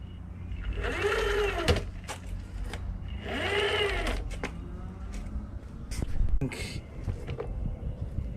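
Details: Onsra Black Carve electric skateboard, left motor: whine rises and falls as the wheel spins up, with irregular sharp clicks over it. The mount and belt were readjusted and the screws loctited without change. The owner suspects motor imbalance or the gear-to-wheel ratio; cause unconfirmed.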